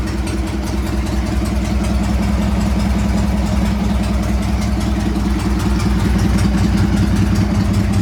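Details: Harley Sportster 883-to-1200 conversion with new Wiseco pistons, rings and cylinders, first start and heat cycle, 79 degrees, 105 on the pipe, in neutral: even loping V-twin beat, no misses, rattles, knocks or smoke; normal running.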